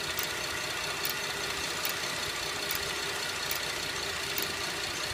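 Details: 2011 Buick LaCrosse CXL, stethoscope at the engine, with a slow, crisp metallic click a little over once per second at a quiet idle. It is slower than engine speed but speeds up on acceleration; cause unknown.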